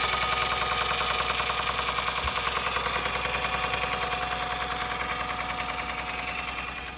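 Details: 2007 Honda Accord, 257K miles, petrol engine at idle: a fast, steady knocking of about three to four knocks a second. The timing belt tensioner is tight and has not failed; cause unknown.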